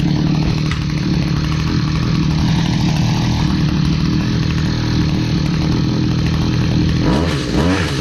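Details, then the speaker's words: Stihl HS45 hedge trimmer, long unused, two-stroke started after priming with fresh fuel and a new air filter following a customer tune-up: lumpy, uneven drone at fairly fixed speed with a stumble near the end; runs rough, needs more work. "all okay so it ran not great we're going to need some more work on that"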